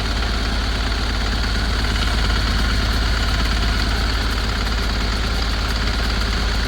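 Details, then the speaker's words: 2010 Ford Transit, owner suspected hydrolocked, started on a jump pack after a new starter: rough heavy diesel clatter with an irregular knock and uneven idle, very smoky. "what best Transit running a funny feeling it's been Hydro walked or something [Music] it doesn't sound good but it's running"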